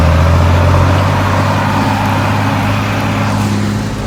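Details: John Deere 4755 side-exhaust tractor, driven after a complete Powershift transmission rebuild, top speed 30 km/h: deep, steady diesel growl with an even pull under load, no clunks or whine; normal running.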